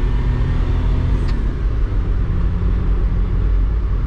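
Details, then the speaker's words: 1996 Suzuki Carry/Autozam Scrum 2WD kei truck test drive at about 40 after replacing noisy front wheel bearings; steady road rumble, no hum or growl, bearings now quiet. "No noise."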